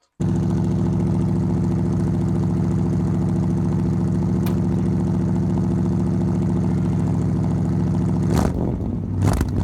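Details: 1975 Ford F-100, revived after 17 years sitting, with new 2100 carburetor, new coil, plugs and wires: steady even burble at idle with no misses, then quick clean revs; runs sound.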